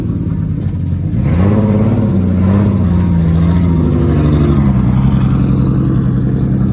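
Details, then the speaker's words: Big-turbo drift car engine on first drive revs up and holds mid speed with a slightly uneven, stumbling beat under the drone; running better but still misfiring, owner suspects flooding or a loose airflow meter. "it sounds like it's running better but it's still missing yeah but it's like picking up on what it was"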